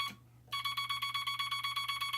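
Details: Telegraph bug keyer without dot stabilizer, dot contact screw readjusted: fast even string of about seven or eight dots a second with slightly ragged edges; scratchy dot contacts.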